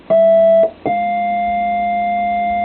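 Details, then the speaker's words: Vox Super Continental organ: sustained note with an extra minor third bleeding in above it, persisting after a card swap; caused by dirty ground bus connections. "it's a minor third always not a major third it's all third up yeah pretty much except the"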